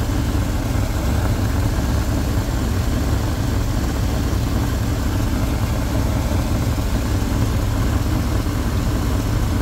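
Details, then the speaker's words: 1972 Lincoln Continental Mark IV after filling the leaking, low power steering reservoir: even low rumbling idle with no whine above it; steering pump quiet and healthy. "you don't hear the wine anymore because I feel the power steering reservoir so it sounds much better"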